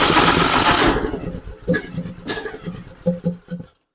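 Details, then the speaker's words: John Deere LA125 riding mower with bent governor rod: brief loud catch then weak irregular pops fading out; flooding, with fuel running out of a cracked carburetor although the choke moves freely. "check that out cuz like almost like the choke is stuck but it's not nice and free so let's go ahead and pop that carburetor off"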